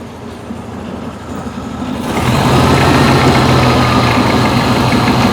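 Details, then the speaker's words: 1974 VW Beetle flat-four after starter replacement: quiet cranking, then it catches at about two seconds and settles into a steady, even idle; carbs still good, sounds healthy. "Well, it's running. Six. Six. I need that. Carbs are still perfect."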